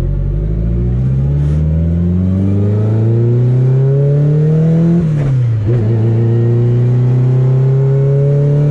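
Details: Car test-driven after CV axle and driveshaft repairs, at low power: the engine pulls smoothly, eases off and climbs again with an even tone and no shudder. The drivetrain is normal under acceleration with no vibration.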